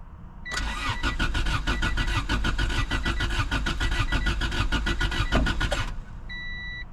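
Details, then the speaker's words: Honda Civic that sat about 10 years with varnished fuel. Even starter cranking for five seconds and no fuel pump hum heard at key-on; it cranks but won't start because the fuel pump is dead. "so it's been sitting a long time my hopes are not very high on the fuel pump even working"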